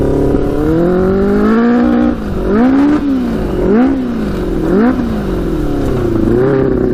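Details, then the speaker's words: Custom Yamaha Banshee with Suzuki Katana 600cc engine after Stage 4 rejet, first test ride, maybe not fully warm: revs climb sluggishly and sag on each throttle blip; runs worse than before. "all right i think that's actually worse i don't know ah i don't know how that's actually worse that's crazy"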